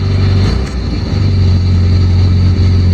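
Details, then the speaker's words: 1967 Volvo 1800S cold start, temperature gauge not yet registering, choke pulled then pushed in a little, in neutral. Deep, steady low rumble with an even beat and no knocks or misses; normal cold idle on choke. "I will pull the choke out, put it neutral, and then I'll pump the gas a few times. Push the choke in a little bit."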